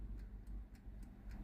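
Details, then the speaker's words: Philips NA120 air fryer that won't heat, set to 200°C: only a light steady timer tick about four per second with no fan whoosh; fan and heater dead, food-tray plastic switch checked first. "Nu se aude zgomot de la ventilator , dar cronometrul ticăie."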